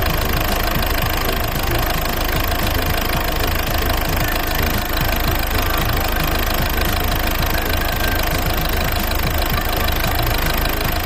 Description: A common fault on the 1.6HDi/1.6TDCi engine. Poor idle, running roughly around 1100RPMs. In most cases, there is a faulty injector.